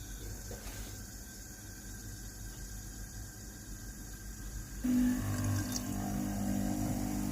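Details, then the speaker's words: Philips GC9622 steam iron after boiler replacement (fault was no steam, boiler not heating): pump buzzes about four times a second feeding the boiler, then steam rush; pump and boiler working normally. "Încălzitorul cazanului este normal acum, iar pompa de apă este normală și poate pompa apa din rezervorul de apă în cazan."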